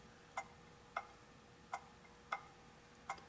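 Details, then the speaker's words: Antique pendulum clock after cleaning and oiling: uneven limping tick-clunk rhythm, alternating gaps about 0.6 and 0.8 s; clock out of beat, not close enough to run continuously, would slow and stop, possibly because a pallet pad/guard pin was off the verge. "so we're not close enough in the beat for this to run continuously it would eventually slow down and stop which is what bill was having problems with"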